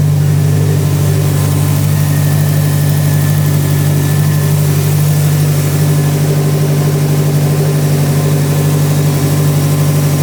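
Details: Built Subaru STI first start after about five months, freshly rewired with ethanol sensor and hybrid speed density, not yet tuned: steady, even idle with a smooth low burble and no knocks or ticks; running healthy.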